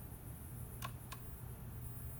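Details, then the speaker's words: Monkey turn signal relay just replaced with new plug-and-play unit, tested before reinstalling. Two crisp ticks about a third of a second apart over low hum; flasher now slow as it should be, relay switching normally. "There it goes. Now it's slow again, or slow like it's supposed to be."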